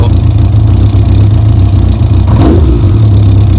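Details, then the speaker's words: Yamaha Diversion motorcycle, long unused, after Seafoam carburetor treatment, started from nearly cold: crisp throttle blips, revs rising and falling cleanly, idle just under 1,000 rpm, light valve ticking, earlier clutch noise gone; engine sounds healthy. "so that revs are going up and down nicely. I like the tick over just under 1,000, to be honest."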